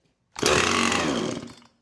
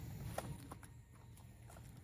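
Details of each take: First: Husqvarna 455 Rancher chainsaw unused about three years, started on starting fluid with choke: fires, screams about a second and a quarter, then dies; owner suspects carburetor and fuel issue. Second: Free Husqvarna 455 Rancher chainsaw, unrun for about 3 years, revived with carburetor cleaning and repair, cutting limbs: idle burbles evenly between cuts and it revs cleanly to full throttle in short bursts without bogging or sputtering; runs healthy.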